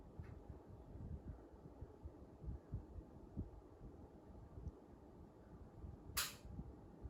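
Soft, steady low whoosh of air with no rattles, scraping or whine, just one brief click; a healthy indoor fan running smoothly.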